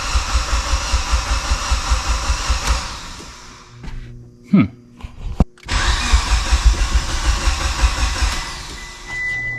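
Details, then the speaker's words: Mitsubishi Evo with used engine, first start after priming oil pressure: long rhythmic cranking, brief stumble, more cranking without catching; hard start, fired only with full throttle, then sounded healthy with good oil pressure. "it wants to start it's just she's at concess i don't know why oh she almost went sometimes they just don't want to start"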